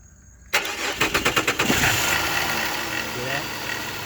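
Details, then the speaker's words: 2005 Chrysler 300 with a no-crank, no-start fault, starter triggered directly by jumping a wire at the starter circuit with ignition on; starter spins briskly through about six even compression pulses, engine catches cleanly and idles steadily: normal crank and start, starter and wire good. "so now because you started you know your starter is good and the wire that goes from here over there is good"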